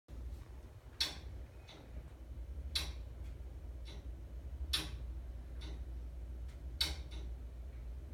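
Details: Sharp dry clicks about every two seconds over a low hum from household gas meter and pipes, intermittent, varying duration; persists after meter replacement; furnace seems starved for gas while clicking, runs full once it stops.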